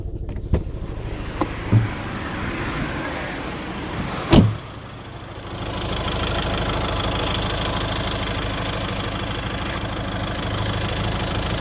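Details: Seat Toledo petrol engine idling: low buzzing rattle with a few sharp knocks, caused by a worn engine mount; replacing it solved the problem.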